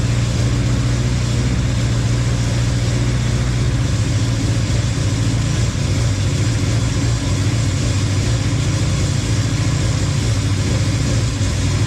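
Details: Honda Civic, rebuilt engine, restarted after connecting everything to get rid of an exhaust leak: steady, even low rumble with no ticking or puffing from exhaust joints; sealed exhaust, normal idle.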